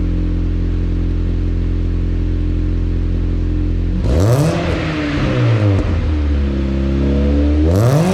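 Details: Chevrolet Cobalt SS started after an oil change and service reset: steady, even idle, then two clean revs that rise and fall smoothly with no knocks or rattles; normal start and rev.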